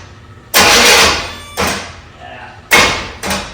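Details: Chevy van (air-bagged) cranks briskly in four short bursts but never catches or fires; crank no start after new battery fitted, gas heard squirting when key turned on, engine reeking of fuel; later fixed by replacing a faulty injector.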